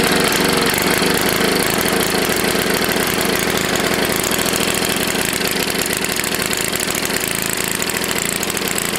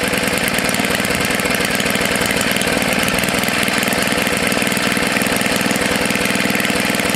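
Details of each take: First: Tecumseh HS40 small engine, long unused and just cleaned, first run; it screams at a steady, very high speed and never settles because the throttle plate is stuck. It was shut down. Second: Tecumseh HS40 engine after cleaning the carburetor jet and setting it about a quarter turn out: fast, even buzzing putter holding constant speed without surging or dying; running steadily and healthy.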